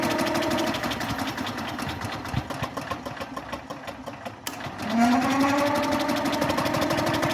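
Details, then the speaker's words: Old Onan generator, unrun since about 1983–84, two-stroke oil added to cylinder: starter cranks steadily at about four beats a second with no firing attempt; a hanging valve is suspected. "no attempt so that means we got a valve hanging up more than likely"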